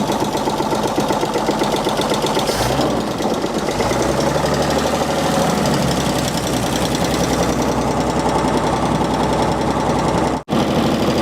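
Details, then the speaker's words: 1948 Chevy abandoned 58 years, first runs with no oil seen reaching the top: old inline engine idles with busy clatter and a dull uneven knock underneath; owners unsure if it is a rod knock. "I don't know if that's a rod knocking or not runs like a dang sewing machine though"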